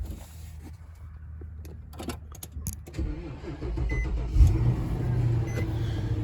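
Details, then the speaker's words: 2009 Infiniti FX50 after replacing coil pack for code P0302 and earlier rough running: keys rattle, engine catches and settles into steady, even low idle without stumbles. "hey sounds better already"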